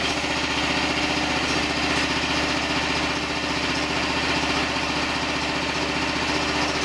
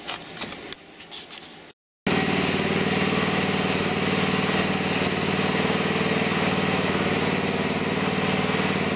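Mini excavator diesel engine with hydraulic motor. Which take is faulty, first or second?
first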